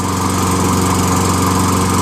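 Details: Toro Recycler 22" self-propelled mower, 6.5HP Tecumseh engine, after hydrolock cleared, carb clean and replaced dented jet nut, fresh fuel: steady, even drone with no surging or misfire; fuel getting through, runs clean.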